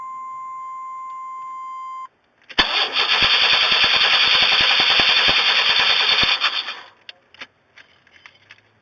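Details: 1994 Chevy Astro that won't start after Seafoam and sometimes dies, restarted while already warm; a tone, then about four seconds of steady rapid cranking that never catches and dies off. Cranks but won't fire.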